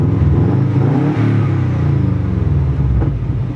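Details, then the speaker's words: 2003 Subaru WRX wagon revved after all four coil packs were replaced to fix misfires on all four cylinders, with no codes found: quick blips rise and fall cleanly with an even exhaust note and no stumbles; misfire fixed, normal revving. "yep I think we are all good we are finally good no more misfire guys we are done with the misfire life"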